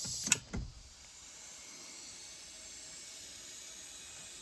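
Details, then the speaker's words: Wanderlodge bus with Detroit Diesel 6V92TA: a couple of sharp clicks then faint steady high hiss; compressed air leaking from the steering column lock air switch. "so we have an air switch problem is leing so release it"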